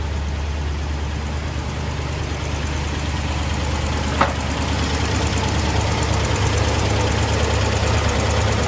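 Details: 1975 International D150 V8 pickup idling after fuel pump replacement and carburetor rebuild, running off a small gas can, only alternator belts on, fan running: steady, even low rumble, no knocks, misses or hunting; healthy, no leaks.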